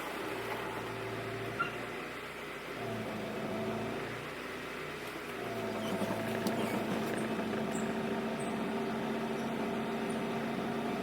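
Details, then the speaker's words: Honda CR-V on a test drive after timing belt replacement, power steering fluid recently lost and topped up: steady whining tone with wavering low hum over road noise; owner suspects the power steering pump is failing, unconfirmed. "The power steering pump go now, dude? Or does it need some building?"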